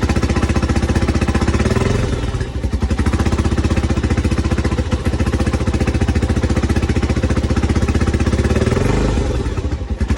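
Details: 1987 Honda TRX250X first start after a full engine rebuild: crisp, regular single-cylinder thump, steady and even with no clatter; normal running.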